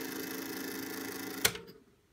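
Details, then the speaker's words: Philips EL 3586 portable reel tape recorder in fast forward: even, steady spinning whir with faint tape hiss, then a sharp click as it stops. Fast forward works properly; rewind motor runs but doesn't operate and the feed reel brake doesn't work. "Fast forward, operating properly,"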